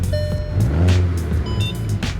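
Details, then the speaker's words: Rebuilt wrecked Mk6 VW Golf R (R20), Cammus Wind Booster throttle controller in race mode, start-up before first test drive: deep, even engine note under loud music, no knocks or rattles; sounds smooth and healthy. "listen to that sounds so nice right let's go"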